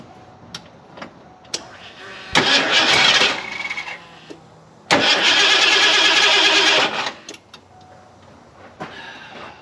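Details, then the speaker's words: Fuel-injected Ford F250 that sat several years: two short bursts of fast cranking, no catch, after a timing adjustment. It has fuel, smells of old fuel, and fired once; something is suspected to be disconnected. "I know it's getting fuel. It did fire. I still feel like they disconnected something that I can't figure out."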